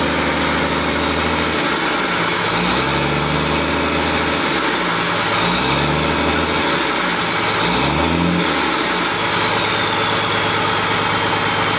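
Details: Komatsu PC200-8M0 diesel engine running after overhaul: steady deep idle with three smooth rev blips rising and settling cleanly, no knocks or rattles; healthy.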